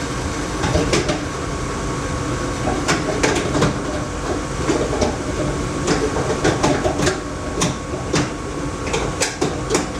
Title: Laars Mini Therm II making rattling sound